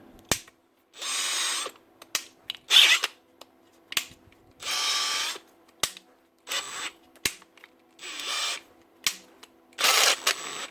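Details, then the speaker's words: Makita DHP486 brushless drill after changing gear: short high-pitched bursts with rough grinding on engagement, then normal after a second or two; the square-toothed planetary gear in the gearbox is slipping. "change the gear and it start slipping and then after a second or two it goes back to normal what's actually happening there Lads inside the gearbox there's a planetary gear with we Square teeth on it"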